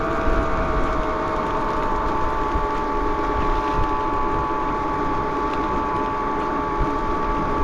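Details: 72V BBS02 mid-drive on Phaserunner after JB Weld rotor repair, hill climb under load: steady high whine with fixed tones over rough low rumble, louder than a BBSHD; cause unclear, owner suspects rubbing or bad bearing.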